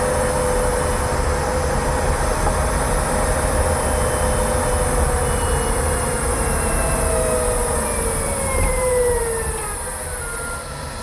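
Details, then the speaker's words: Kia e-Niro after dealer service, driving: steady hiss with thin whining tones sliding down in pitch as the car slows. Owner suspects the electric motor, like something stuck underneath; the dealer did not address it. Whine while driving. "a whining sound. Have you ever had something stuck underneath your car, like a card box? That sound, yeah, the electric motor has that sound."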